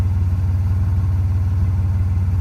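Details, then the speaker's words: 1995 Nissan Maxima (A32) with intermittent rough idle, heard at exhaust after revving to 7000 rpm temporarily cleared it; deep, steady exhaust burble pulsing evenly with no dropouts, normal idle for now. "The car is idling nicely, nice and smooth in here. No shaking, and I'll show you the exhaust. Normal,"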